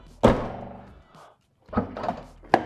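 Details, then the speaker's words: VW MK6 GTI hatch, after replacing the faulty electronically powered trunk latch, battery reconnected, tested without seal: clean solid thunks as the hatch shuts and catches, no buzzing or grinding and no earlier noise; latch now engages properly. "And then, nope. Doesn't make a noise either. It doesn't make that noise."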